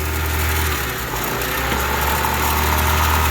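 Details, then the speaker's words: Honda Civic petrol engine idling: idle high, low drone sags and recovers, hunting and surging instead of holding steady; suspected vacuum leak, possibly at the injector seals, to be checked by spraying around them. "So you can hear that the idle is high, and now it's starting to hunt and surge."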